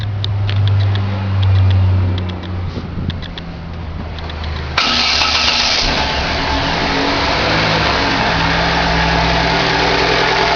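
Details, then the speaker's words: 2011 Chevrolet Classic at idle: constant rough bearing-like whirring hum under the exhaust note with clutch released, vanishing when clutch pedal is pressed; persists after clutch and release bearing were replaced, cause unknown. "Você aperta o pé na embreagem, o barulho some, você solta, o barulho volta."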